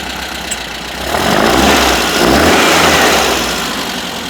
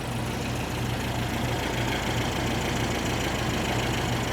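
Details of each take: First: 1973 VW Super Beetle 1760cc with dual 40 carbs and new exhaust and fuel system, hot start: revs then settles with light, fast ticking of about three per second. Valve clatter from loose lash; to be adjusted. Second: 1973 VW Super Beetle 1760cc flat-four with dual 40s, after valve adjustment (No. 3 exhaust was very loose), warm; quiet, not too loud idle with faint valve train chatter typical of a VW; normal idle.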